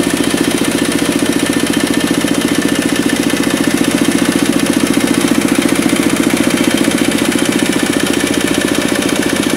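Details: Kubota RD65DIS single-cylinder diesel after cylinder head service, exhaust fitted, driving a soil/clay grinder for brickmaking: steady beat near three per second, even under load, faint rough edge; smoke gone, combustion fine, roughness from worn engine gears.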